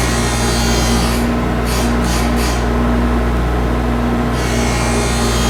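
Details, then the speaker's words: Hockey skate blade profiling machine: steady motor hum with rasping grind as the cutting stone just touches the blade, passing the front line; normal profiling. "so you can hear it just just touching as we're passing that front line"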